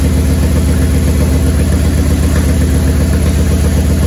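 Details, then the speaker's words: 1994 Harley-Davidson Touring Evolution V-twin, over 70,000 miles, after top-end rebuild for a base gasket leak, first start with choke: lumpy, even idle with solid compression on both cylinders, no ticking in the motor, only an exhaust leak. "all right we did it sounds good"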